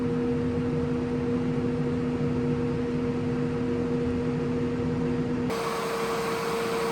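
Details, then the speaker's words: Hoffman weatherized enclosure heat pump, first cabinet, recorded at the back of the unit with the microphone moved closer to the compressor. A steady, even mid-pitched hum sits under fan noise, with no knocks or rattles. Normal compressor running. "All right, now we're at the back of the unit. I can hear the compressor. I don't know if you can hear it."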